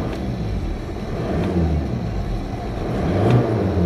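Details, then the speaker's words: 2005 VW Jetta TDI 1.9-litre turbo diesel, being revved: deep, even rumble building smoothly, turbo pulling up fast with no knocks, rattles or whistles; normal turbo diesel revving. "turbos pulling up there fast revving motor it's got a lot of torque"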